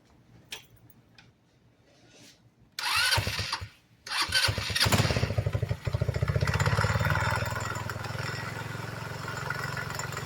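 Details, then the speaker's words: GY6 scooter CVT case, scored inside: small single fires after rough bursts, then runs choppy with a metallic rattle as the failed variator pulley bolt flies off; loose CVT pulley bolt causing the terrible noise. "Definitely the problem is that bolt flying off."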